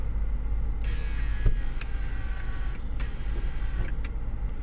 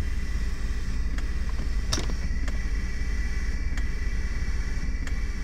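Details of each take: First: Two-door Mercedes with a water-damaged central locking pump that was saved, operating the trunk release; low steady pump hum in two bursts with a faint click between, and the trunk opens; normal central locking pump operation. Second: Mercedes central locking (door lock) pump, engine running, lumbar support switched on; pump keeps running with hum and sharp clicks, never reaching pressure because lumbar support bladders leak: central locking pump cycling due to lumbar support leak.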